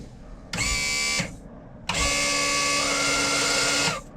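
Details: Old sterndrive boat on its trailer with a battery reading 15 volts: the outdrive power trim motor gives two bursts of steady electric whine, short then longer, at even pitch with a clean stop each time. The trim is running normally.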